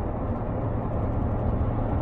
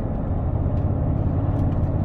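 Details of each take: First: BMW V8 cruising in fifth gear with a slight touch of throttle on the way home from work: steady, even exhaust drone with no rumble or knocks underneath. Normal, healthy drivetrain. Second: BMW E31 heard from the cabin, coasting and under light throttle; the rumble grows with more throttle. A deep continuous rumble felt through the body but not the steering wheel. Road-surface induced body rumble.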